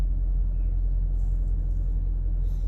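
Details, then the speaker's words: 5.7 HEMI V8 after installing a BBK 85mm throttle body, no check engine lights: deep, even low rumble dropping cleanly back to about 600 rpm idle after a rev, no hunting or stumble; more intake sound. "We're gonna and it drops right back down, guys."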